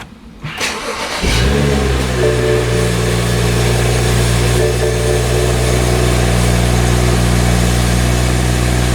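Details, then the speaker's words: 2012 BMW 335i E93 convertible after replacing the broken chargepipe with a VRSF chargepipe: short crank, quick catch, brief rev flare, then smooth steady idle with no hiss or whoosh of a boost leak; checking if check engine light clears. "Alright, now that it's all buttoned up, I just start it up and see if the check engine light goes off."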